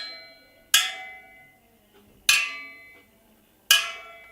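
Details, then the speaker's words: Supermoto wheel rebuild: spokes tapped with a wrench after lacing and truing, giving three crisp metallic taps, each ringing with a clear, lingering tone like a little melody, not hollow, meaning properly tensioned spokes; a loose spoke sounds hollow. "entendez bien que le rayon ça sonne c'est à dire que vous tapez dessus que ça ne sonne pas creux ça fait comme une petite mélodie"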